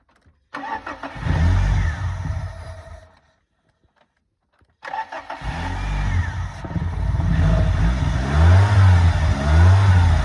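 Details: 318 V8: starter catches twice, then it settles into an uneven, lumpy idle with a wavering beat; rough idle.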